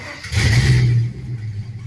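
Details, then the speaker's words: LS-swapped 1948 Ford F1 rat rod after fitting lock-off plates on the purge valve solenoid and EGR valve to stop a big leak: a quick clean throttle blip settles back smoothly with no hiss or stumble; starts and runs much better. "starts and runs a lot better imagine that"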